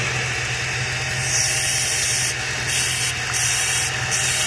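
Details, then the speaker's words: Dodge/Jeep idling around 600 rpm with code P0507 and slight shaking: loud airy hiss swelling in bursts from a vacuum leak at the EGR tube's worn gasket/O-ring, which alters idle; needs replacing. "now I'm going to show you guys what the problem is more than likely you have a vacuum leak or in my case with Dodge or Jeep of any your EGR tube"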